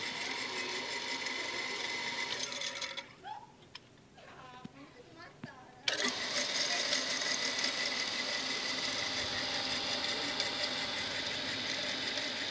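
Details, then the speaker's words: Shimizu water pump motor that stalls, running after several restarts: harsh gritty loud roar with a brief quieter gap, like sand inside the machine; cause suspected, not confirmed. "cuman bunyinya keras Hai berisik gitu kayak ada pasir yang masuk kedalam mesin ini"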